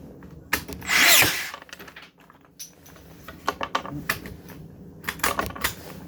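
Uneven bursts of clicks and a brief whirring rush, with no crisp regular drive strokes; the nailer is misfiring.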